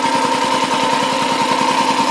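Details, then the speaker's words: BMW Isetta 300 single-cylinder running for the first time after restoration work, on choke, low on fuel: quick, even beat with steady tone on top, quiet exhaust, no knocks or misses; drips a little oil, suggesting oil pressure; sounds healthy. "pretty happy with that sounds good there's no knocks the exhaust is quiet"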